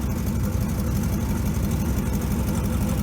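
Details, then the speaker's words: 1957 GMC 370 2-ton truck, original Pontiac 347 V8, revived after 20 years sitting, now on its own tank after fuel line repair, carburetor uncleaned: low, even rumble idling smoothly by itself, no knocks or misses; 30 oil pressure at idle; normal idle. "Idling by itself there. That's without cleaning the carburetor at all."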